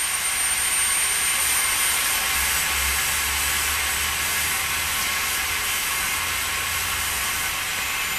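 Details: Truck air brake test, tractor shut off at maximum pressure, service line disconnected, brake held firmly to the floor: loud steady hiss as the service line bleeds down normally; tractor protection valve closed at 50 PSI (minimum 20), working properly.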